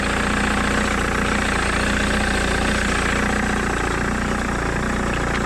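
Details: 2009 Mercedes-Benz W204 C200 just after a new thermostat fitted for failing to reach temperature; steady, even idle with a constant hum and no knocks, ticks or misses, checked for cooling leaks; idling normally.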